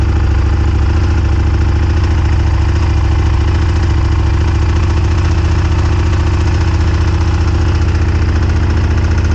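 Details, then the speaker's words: 1998 Honda Superhawk twin that previously kept locking up, running after carb cleaning: deep, even low thump at a settled idle with no knocks, misses or rattles, a little steam off the exhaust. Normal idle after repair. "it wouldn't do this before so this is definitely a good sign sounds good sounds healthy got a little steam in here just burning stuff off the exhaust"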